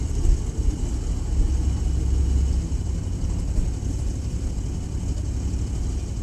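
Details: Car a week after a tune-up, running smooth that morning: low uneven idle with an irregular lumpy beat and stumbles; random multiple misfire including cylinder 1, cause not found.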